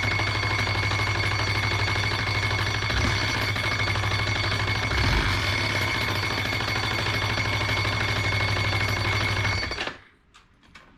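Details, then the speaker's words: 2005 Yamaha Majesty 400 scooter: engine revving high without holding speed, loud harsh scraping racket until shutdown; nut fell off the front variator pulley, loose pulley scraping the CVT cover. "it started revving up real high making a horrendous noise coming from the like the variator and not maintaining speed"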